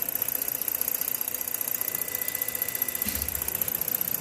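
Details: 2014 Ford Flex idling with misfire on cylinders 3 and 4: an uneven, stumbling pulse about two to three times a second.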